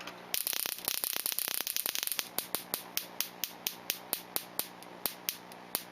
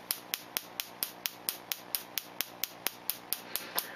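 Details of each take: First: Ignition coil from a Solex, on a Solénotest bench tester; that Solex crawls at 25 km/h with a weak spark: sharp spark snaps, fast then slowing to about ninety a minute, with an irregular train and skipped sparks at lower rate; the coil is bad. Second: New remanufactured ignition coil on a Solénotest coil tester spark gap: crisp, evenly spaced snapping clicks about two a second, LED lighting, no misses or weak sparks; coil firing perfectly.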